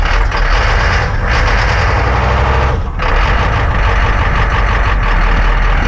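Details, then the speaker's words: Ex-military Humvee (HMMWV) diesel with leaking fuel transfer pump, struggling cold start with white smoke (unburnt fuel): deep loud rumble dips once, then picks up and runs on, noisy but catching. "hey that's her oh shoot we lost it we're getting white smoke which means it's not burning the fuel it's trying"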